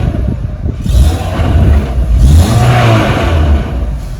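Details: Renault with DP0/DP2/DP8 automatic gearbox: engine revved to about 3000 rpm then released, loose metallic knocking clatter as revs drop; cracked or loose automatic flexplate (flywheel).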